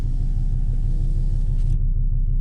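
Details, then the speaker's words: 2005 Volvo XC90 2.4 D5 diesel at 6°C after a glow plug change; owner says the old plugs would not have started it. Deep, steady idle rumble, even firing, no misfire or hunting; runs fine cold. "This would have not started with the old glow plug."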